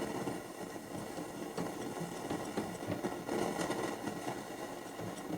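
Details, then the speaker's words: 1969 Telefunken Gavotte 201 tabletop transistor radio on medium wave with internal ferrite rods at midday: steady crackling hiss with scattered clicks, no station on any band; antenna break suspected, cause unconfirmed. "uh it's totally dead it's making a lot of noise but uh no reception on any of the Bands"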